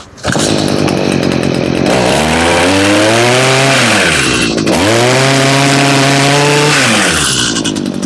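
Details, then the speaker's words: Stihl two-stroke (blower, trimmer or hedger) with a bog problem: it revs up twice but sags and never holds full RPM under throttle. Suspected to be running out of fuel, with fuel, filters and carburetor still to check. "She's not getting up full RPM. You hear it bogging, running out of fuel."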